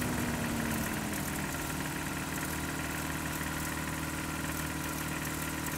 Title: 22RE cold start and rev, timing chain and/or rod knock issue?